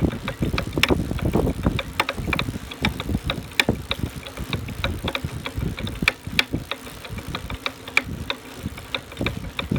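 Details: Brand-new Buzz Charter F e-bike, first time pedaling: loud, frequent, irregular sharp metallic knocking from inside the rear hub motor, as if metal parts collide. Cause unknown.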